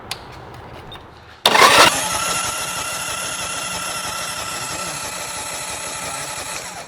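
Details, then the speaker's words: Newly built custom chopper engine cranked by the starter with spark plugs out, just before its first start, to confirm oil circulates through the whole motor; steady, even cranking without catching, normal. "that tells us that we got oil going through the whole motor"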